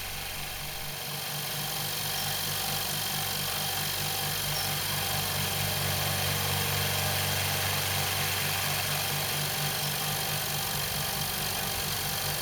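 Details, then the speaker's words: New Rocwood workshop air compressor on its first test run, pumping up toward full pressure: steady even pumping about four beats a second under a quiet hum, neighbour's mower faintly audible; compressor runs healthy. "I'll leave the pump running until it gets up to full pressure and I'm not going to speed up the video"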